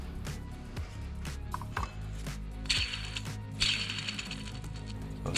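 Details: Worn auxiliary belt tensioner pulley removed from a 2012 Audi A6 2.0 TDI, spun by hand: dry gritty rumble and ratcheting clicks from a completely worn bearing; new one is quiet.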